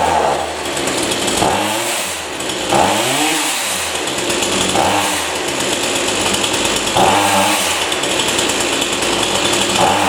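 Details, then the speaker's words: Chainsaw before bog-down adjustment (clean air filter): high buzzing revs surge and sag repeatedly at full throttle, pitch dropping and recovering instead of holding steady; bogs at high speed, poor high-speed response. "it doesn't respond very well in the high-speed"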